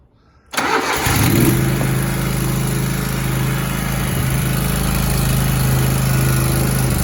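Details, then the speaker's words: Zero-turn mower (Grasshopper or Toro) sat about 4 months, no start: silence, then it catches on starting spray and settles into a steady even run with good idle; suspected stale carburetor fuel needing priming, not confirmed. "and probably has a little bit of stale fuel in the carburetor. So let's see if it will light off with some external fuel source."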